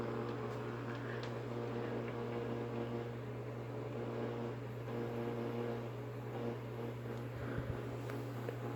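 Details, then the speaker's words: Early-1960s FoMoCo car radio on the bench with a makeshift wire antenna, antenna touched: low steady hum under faint hiss with odd crackle and no programme, set alive but not tuned to a station, static only. "touching the antenna there apparently that wasn't tuned into a station"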